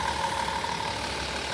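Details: Van engine with recently replaced spark plugs, wires and coil pack, which had caused a lost cylinder 5: short stretch of even, steady idle with no stumble or miss; engine runs smoothly.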